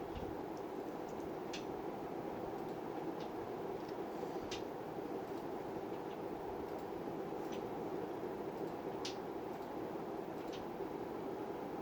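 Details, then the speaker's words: Montgomery Ward (Evergo) Bananafan ceiling fan E-8C 42274, cast motor, on variable speed control drawing about 29 W: soft steady whir with scattered dry ticks and light rattling. Owner says it sounds like dry bearings; might try oiling, else replacement. "You can start to hear it now. Yep, and I'm feeling it, feeling all the pebbly sound. Look, it's a bunch of, like it's grinding against stones in there."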